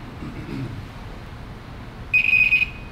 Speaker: ange one on the other side and then we listen for a beeping sound and if we hear that beeping sound ah then we know that there's a short in there somewhere okay so we know that this orange wire is shorted to one of the other wires